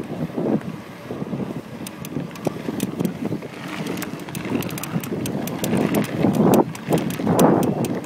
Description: My brand new Cannondale Flash 1 29er keeps creaking like this. Constantly, all the time, pretty loud.